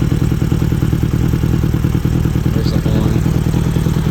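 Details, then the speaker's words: 1978 Honda GL1000 idling: even steady burble about three pulses a second, no knocks or misses; engine idles smoothly. "so smooth baby smooth sounds good"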